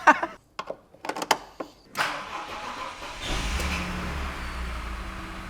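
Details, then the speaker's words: BMW E39 530i Touring with the M54 six-cylinder, just converted from automatic to an E46 M3 six-speed manual and coded, battery possibly weak: a few clicks and a brief crank, then it catches quickly into a smooth, even idle. Not yet warmed up. "Started good. Sounds good. So I need to let it warm up, check the coolant level again"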